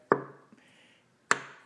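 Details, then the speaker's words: Engine on a stand sold with rod knock, oil pan off, cylinder one: two sharp metallic clacks with brief ringing as the crankshaft is pushed, revealing excessive rod bearing clearance; possibly lack of oil, crankshaft may be worn. "rod bearings wear out and then the Gap opens up a little bit more and then it starts to knock"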